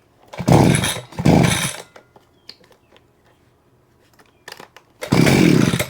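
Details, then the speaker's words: Vevor gas hedge trimmer, small two-stroke, blades previously stuck and not moving; after pin relocked it snarls up in quick free-revving bursts and drops back, blades now working; normal running. "It's working. Yeah, it's working now."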